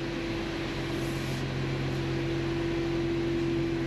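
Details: 2017 Audi Q7, cold, rolling slowly on test drive after a brake squeal repair with special socket and brake quiet lubricant: thin steady high squeal over low rumble, growing near the end; brake squeal, worse when cold.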